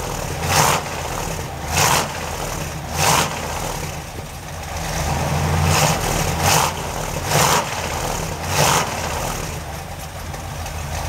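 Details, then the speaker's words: 383 stroker V8 in a Chevy truck with headers and Hooker turbo dual exhaust, warming up: several sharp throttle blips about a second apart, each dropping cleanly back to a steady idle once off fast idle; healthy. "okay that side along the curb idle speed is dropped off the high speed damn that's pretty good Idol to it"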